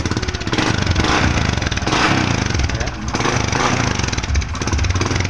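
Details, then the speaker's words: Honda Supra X 125 FI with a charging/electrical fault, started with battery removed: small single idles steady with even, busy exhaust beat, no misses or knocks; runs normally without battery, so supply is good. "Tanpa aki motor bisa hidup normal ya. Ini tanpa aki motor bisa hidup normal."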